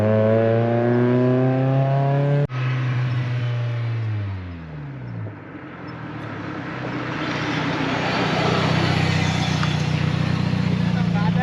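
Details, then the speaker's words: NB race Miata slowing in the canyons; engine note falls away, then harsh rising scrape builds under braking, metal-on-metal grinding; brake pads worn to metal on rotors, to be replaced with new pads and rotors. "As you saw, the brakes are really messed up and they're like grinding metal on metal, like the noise is horrible."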